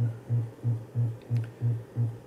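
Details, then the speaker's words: Gradiente HA-II hi-fi power amplifier driven into clipping near maximum power: low buzzing hum pulsing about three times a second, ripple from the unregulated power supply coming through because supply voltage sag limits power and modulates the output. "esse Abalo limita a potência se a fonte fosse estabilizada né ela chegaria até aqui embaixo nessa linha reta né sem ter esse ruído"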